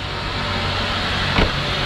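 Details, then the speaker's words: 2004–2009 Mazda 3 after belt tensioner replacement: steady, even idle with no chirp, squeal or rattle from the belt area. The noise had appeared on cold starts and faded once warm. Owner suspected a pulley. Normal idle, noise gone. "did not hear nothing at all if i'm actually hearing that sound i know i'm not really hearing that sound anymore because it was very obvious and i'm not hearing that right now"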